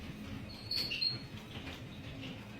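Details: Garage door squeaks in short, high-pitched chirps over a low rumble while moving; suspected dry roller bearings and hinges, fix is lubricating the roller bearings (not the track) and hinges.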